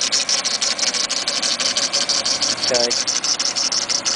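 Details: DSM Eclipse GS 420A engine at idle with a bright chattering rattle about three times a second, first thought to be the timing belt; confirmed as the failing AC compressor.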